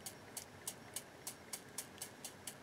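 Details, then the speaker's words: Philips EL-3302 portable cassette recorder, pinch roller with a flat spot, spun by hand before lubrication: faint, evenly spaced scratchy ticks about four per second. It sounds dry and needs lubricating. "has a bit of a it sounds like it's dry so let's put a little bit of the hx1 see if i can get some of this out"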